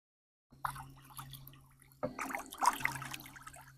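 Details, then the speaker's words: Decoy Doctor DIY water-agitator pump deployed in water, running 4 seconds on, 10 seconds off: soft, low steady motor hum under bubbling and splashing; pump running quietly and normally. "very light hum of the motor and you can hear that water splashing"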